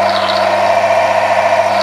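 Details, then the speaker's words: Friction test rig lubricated with an ATF additive (ATF Power Mix): immediate noise reduction to a steady, even mid-pitched hum with no scraping or grinding as pressure and load increase; runs smoothly without friction. "As you can hear, there is an immediate noise reduction and as soon as I increase the pressure, the surface is smoothed, optimized, the lubricant has a higher shear strength , a higher performance, even under increased pressure, there is no friction"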